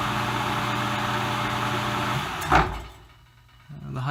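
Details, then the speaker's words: Vintage lathe Dominion Auto-Drive gearbox after fresh 15W-40 oil, belt to lathe disconnected, running high speed: even steady gear hum with no knocks or clatter before winding down; runs smoothly. "a little bit smoother it's hard to tell usually the ladies running at the same time and there's a clicking and clacking and all that kind of normal stuff"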